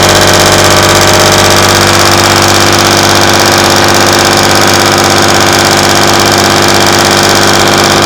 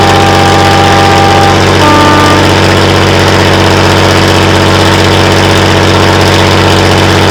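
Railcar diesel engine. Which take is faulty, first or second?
second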